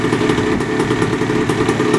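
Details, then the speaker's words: 1980 Yamaha IT175 two-stroke after rebore and new piston, 32:1 premix: fast, even burble at steady idle, no rattle or knock; former idle rattle/piston slap gone, top end healthy. "all right i like it it sounds so good that rattle is gone"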